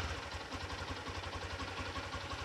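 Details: Lifan KPR200 motorcycle with 2500 km, started easily: quick, even exhaust pulses at idle, steady rhythm without misses or rattles; exhaust loud, engine itself barely audible; normal idle.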